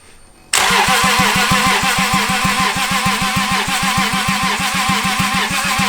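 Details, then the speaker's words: Toyota 2JZ engine from a Lexus, run outside the car with a rigged Miata fuel pump, catches and idles roughly with a hard, regular knock about five per second; really bad rod knock. "Now, I don't know if it'll run. It has really bad rod knock, but we're gonna try."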